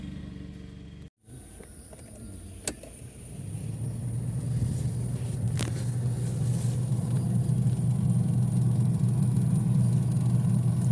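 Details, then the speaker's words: Chevrolet Tavera AC blower switched on: steady low rough whirr with a faint regular flutter, caused by paper a rat carried into the blower fan. "Sound ഇതിന്റെ പ്രശ്നം എന്തെന്നറിയാമോ ഇതിന്റെ അകത്ത് എവിടെയോ വച്ച് എലി കയറിയിട്ടുണ്ട് എലി കയറിയിട്ട് ഈ കാണുന്ന ബ്ലോവർ ഉണ്ടല്ലോ ബ്ലോവറി പേപ്പർ എന്തോ കൊണ്ടു വെച്ചേക്കുകയാണ്"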